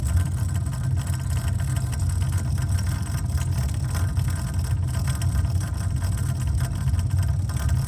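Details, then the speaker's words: Replacement 3/4 HP submersible well pump, freshly set after the old motor burned out, running normally: steady low hum, check valve chattering as water moves, pressure climbing slowly toward 30 so the low-water cutoff switch stays on. "And I know we're moving water because I can hear it chattering. The check valve is chattering."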